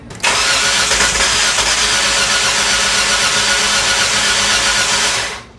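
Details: 2005 Kia Sportage 2.7L V6 driven after months of water top-ups for a leaking water pump; with brake cleaner poured into the throttle body, engine cranks steadily but never fires; compression suspected on only two cylinders, timing belt job due.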